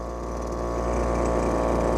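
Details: Lesco LHB 2500 handheld leaf blower after carburetor adjustment: steady, even two-stroke buzz with no hunting or misses, settling slightly louder; normal idle.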